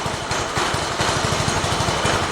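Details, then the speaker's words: Mini bike single-cylinder engine, first start of the day, throttle hopping from a suspected loose or missing bolt; starts easily and runs with quick, regular firing and no misses or stumbles. Normal running. "sounds good let me get this outside and we'll take it out"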